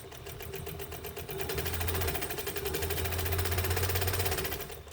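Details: Westinghouse UHB sewing machine, rubber-tire drive with a new tire, no belt, stitch being shortened: quick, even stitching about four per second with a low steady motor hum, no thumping or flat-spot knock; running smoothly.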